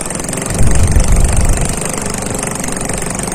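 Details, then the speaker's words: Honda Supra 125 engine idling fast and loud; the noise comes from an open hose that connects to the exhaust. Bolts are being loosened to find a humming point. "Apabila ada suara keras kayak gini ya ini itu disebabkan nah ini tuh selang isinya Karena posisinya terbuka kenapa suaranya keras karena ini kan dia sambungan ke bagian knalpot atau exhaust"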